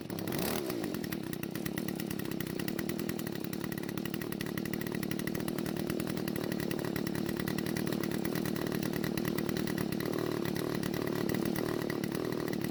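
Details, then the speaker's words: Garage-sale Stihl two-stroke trimmer, primer bulb finally filled: fast steady idle with crackly exhaust, but dies when the trigger is squeezed; lean carburetor suspected, possibly a clogged spark arrestor screen. "So it starts and idles, however it dies when you squeeze the trigger, so more than likely the carburetor isn't delivering enough fuel to the engine."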